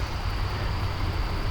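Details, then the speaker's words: Venture Stratus SR321VQB RV fresh water tank after repairing the breather tube and removing a 90° elbow: steady pump hum and even water flow, no gurgling or spitting back, filling over 32 gallons without stopping. "so I'm going to show you now it's filling up like it should so I have not stopped once sorry for the angle"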